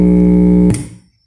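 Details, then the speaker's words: Oneal powered speaker after repair: a clean musical note with no hiss, fading to silence. Previously it hissed loudly with a strong smell; a faulty polyester capacitor near the audio output was replaced with a ceramic one. "beijo caixa está funcionando normalmente"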